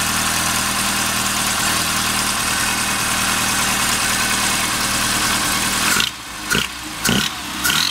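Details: Rover Mini Cooper MPI: engine steady, then harsh metallic knock only as throttle opens, gone at steady or falling revs; source unidentified.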